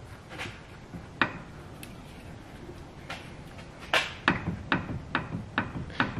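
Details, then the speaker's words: Seat Ibiza scrap car with coilovers: run of sharp hollow clunks, about two a second, as the offside front wheel is rocked; knock at the strut top, strut visibly moving, cause not yet confirmed. "knocking noise on the offside front now I actually don't know what it is you haven't looked but I just thought I'd show you"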